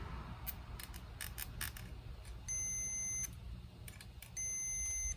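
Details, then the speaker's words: Multimeter continuity test on a brand-new fuel level sender for an '84 Bronco, which pegs the gauge once installed: two steady high beeps over handling clicks, continuity from terminal to ground; the new sender is shorted. "Stick one here. Ground it out. I'm not sure why, but I ran into this crap before too."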